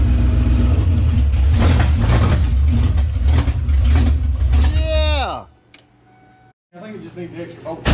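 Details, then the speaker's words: 800 HP Shelby Super Snake V8 in a Fox-body Mustang, first start, which needed extra voltage; open headers burning off, no coolant yet, tune good to 6,000 rpm: catches and runs loud and even with no misses, then is shut down; healthy first start. "Just needed a little extra voltage to finally light off for the first time. So the Super Snake engine is alive, boys."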